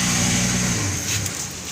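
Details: Toyota Vios with hard starting, after testing the check valve regulator: engine starts and runs evenly, easing down from a light rev without stumbling or misfire; running normally, no longer hard starting.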